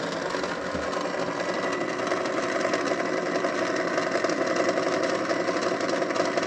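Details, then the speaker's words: Very old vintage open-reel tape recorder, capacitors never replaced, playing a tape possibly at the wrong speed: constant busy rattle and whirr under playback; excessive mechanical noise, cause undetermined. "shame it makes so much noise"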